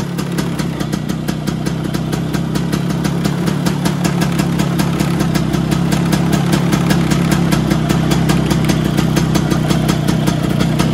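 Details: Vespa PX 125 with 177 kit, restored engine (new bearings, gaskets, piston, rings, lapped cylinder, first-gear parts), first start after a year on 2.5% mix. Steady, even two-stroke idle with a crisp regular beat, no knocks or rattles. Normal idle.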